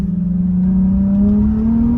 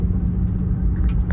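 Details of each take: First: Nissan 350Z after parts replaced for random misfire and rough idle: engine note climbs and falls smoothly under load on the street, no stutter, popping or missing, no check engine codes; seems fixed for now. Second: Nissan 350Z with random misfire issues, engine hard to notice at idle, heard on the street under throttle: deep rumble with uneven pulses, spitting, sputtering and brief drop-outs; misfire, cause unknown, owner considering replacing injectors and injector harness.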